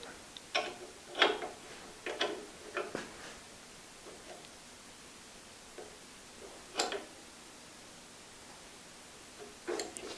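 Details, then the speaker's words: Import 4x6 horizontal bandsaw during a tune-up: sharp, uneven ticks as the oversized blade weld hits guide rollers set too tight, deflecting the blade; the fix is to back the rollers off until the ticking stops. "watch that blade see it deflecting a little bit that's where these rollers are too tight that's hitting the weld"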